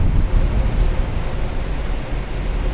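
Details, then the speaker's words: Mercedes C63 AMG after washing winter brake dust, salt and grime off the rotors, calipers and pads: only low road rumble as it rolls to a complete stop, with no squeal. Quiet brakes. "zero squeal just like that so if you guys wanted to know that's how you remove brake squeal wash your rotors and calipers and pads and everything"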